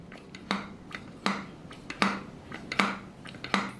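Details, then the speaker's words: 1968 MGC SU HS6 carburettor after service and jet bush recentering, needle centering test: piston lifted and dropped lands with a clean solid thud about once a second, no binding of the needle in the jet. "you can tell there's a thud where it hits there's no binding in the jet the needle isn't binding against the jet"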